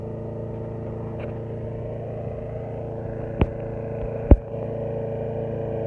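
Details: 2006 Briggs & Stratton XC 35 mower that wouldn't start, after fixing a loose brake/kill-switch cable that kept the kill switch closed: even, steady small-engine drone with a couple of light clicks, no misfires or hunting; normal running.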